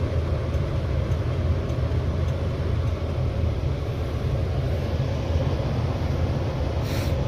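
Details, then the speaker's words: 1965 Ford Galaxie 500 with the engine warm, heard from inside the cabin: only the heater blower motor is audible, a steady, even low whoosh with no rattles or squeaks. It is running normally. "so the engine's warm all you can hear is blower motor"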